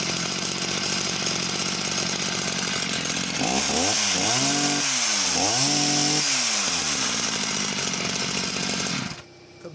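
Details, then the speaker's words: Husqvarna chainsaw, unknown model, with suspect oil pump: screams at high revs for several seconds then drops back to idle quickly with no hang. "back down to idle as well really quickly"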